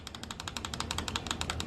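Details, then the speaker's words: Kawasaki KLX351 torn down: the piston is rocked by hand on the connecting rod, making fast, even metallic clicks of the skirt slapping the bore; piston slap is almost certainly the cause of the engine's knock. "makes sense if you can wiggle the piston around by hand like that and you speed it up it sounds exactly like the knock"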